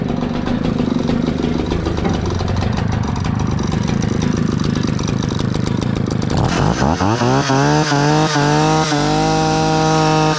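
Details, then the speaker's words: 60-year-old Husqvarna 65 chainsaw, brittle aged part found, only semi-repaired: uneven burble at first, then revs cleanly to a steady high scream and holds; starts easily and runs nicely. "It starts so easy and runs so nice - I feel really bad about this one"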